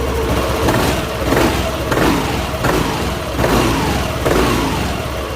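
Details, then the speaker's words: Yamaha NMAX scooter after a repair for a top-end ticking noise: the engine is blipped and returns cleanly to idle with no ticking, sounding like a new bike. Normal idle. "pokoknya enggak ada ngeritik-ngeritik Bang untuk suara mah enak banget"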